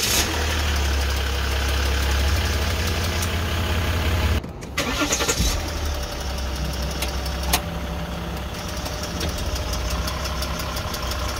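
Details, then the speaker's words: 2014-2015 Jeep Grand Cherokee 3.0 EcoDiesel, about 130,000 miles, makes sharp irregular clicks at a low diesel idle on startup, with a Service 4WD warning and hard shifts; owner believes the transfer case control module is failing. "from what I can tell it appears to be uh the transfer case module"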